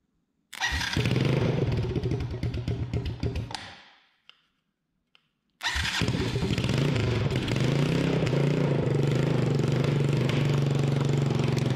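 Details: Honda TRX200SX single after a rebuild, cylinder bored .020 over, new crank bearings and seals, replacement case, JB-welded stator cover, possibly straight pipe: fires after a brief stall, then a crisp, even, rapid beat with no rattles; healthy.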